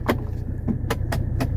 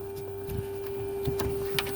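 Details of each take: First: 1984 Mercedes 300SD (W126 turbodiesel) after central-locking vacuum leak repair; door locks fire together in quick sharp clacks over the low hum of the trunk vacuum pump; locks snap promptly, central locking normal. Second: 1984 Mercedes 300SD central locking with door actuator detached: steady high electric vacuum pump hum that runs on without cycling off; stops when the line is unplugged and the hole covered, so there is a vacuum leak.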